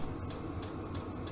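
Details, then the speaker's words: Vevor diesel heater starting in cold weather to warm a building and Yanmar diesel generator engine: steady jet-like low roar with soft even fuel-pump tick about three times a second; starting up and warming normally. "So it is starting up. It kind of sounds like a jet engine. It'll take a little while to warm up,"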